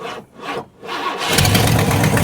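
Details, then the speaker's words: Abandoned 1968 Ford XL Fastback, 390 Z-code big-block V8 with rebuilt Autolite 4300 carburetor, battery 12.4 V: cranks, fires and runs rough with sharp puffing tick each firing from a big exhaust leak; timing and plugs unchecked. "There you go. Big time exhaust leak over here. I can hear it. We're going to have to figure that out."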